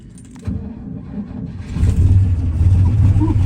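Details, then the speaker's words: 1968 GMC truck with a factory 351 big-block V6, started with gas poured on the carb and choke partly out: cranks, catches and rumbles unevenly briefly, then dies; seems not to be getting fuel to the carb. "So, I got this thing to bump over a couple times there and fire off. And it seemed like it's not getting fuel to the carb"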